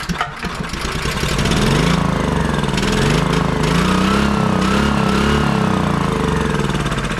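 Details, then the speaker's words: Honda EB3800X generator, GX240 8 hp engine, that won't start or stay running: it fires on starting fluid with good spark and races in uneven surges, nearly overspeeding. Fuel starvation from a faulty carburetor, replaced. "like it's wanting to almost overspeed when I'm spraying starting fluid in it. I'm getting good spark."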